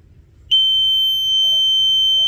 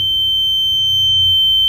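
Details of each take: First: ESP8266 Arduino flame/gas fire alarm prototype with Telegram alerts, flame detector triggered by a smouldering incense stick: loud, steady high-pitched buzzer starts abruptly and holds; alarm working properly and sends a fire-detected message. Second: Wemos D1 mini ESP8266 fire-alarm prototype, gas leak simulated: gas sensor indicator lights, Telegram message sent, steady piercing high-pitched buzzer sounds until the gas clears.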